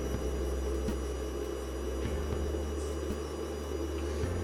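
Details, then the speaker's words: Inverter bring-up test, channel A enabled and PWMing at low frequency (current about 27 mA): steady electrical hum and buzz with low tones; switching noise from the PWM stage. "So it looks like all that noise is coming from enabling the A channel, which is where the PWM is happening."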